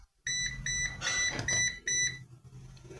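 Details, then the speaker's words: Coil of a disassembled transformer from a 550 A Bambozzi welding machine, measured with a multimeter after disconnecting a coil from its parallel pair: sharp continuity beeps in short bursts. Resistance is about 0.1 ohm or less, below the meter's precision. "esse multímetro ele não tem precisão suficiente para medir a resistência mínima mas eu Creo que tá em torno de 0.1 menos de 0.1"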